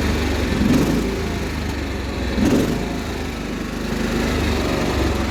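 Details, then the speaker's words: Cub Cadet 1330 mower engine suddenly surging, rising and falling every couple of seconds instead of holding speed; cause not confirmed. "it's starting to surge all of a sudden now"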